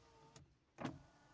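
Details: Hyundai Santro, front power window: soft motor hum ending in a firm thump as the glass seats, with no grinding or strain; power window works normally.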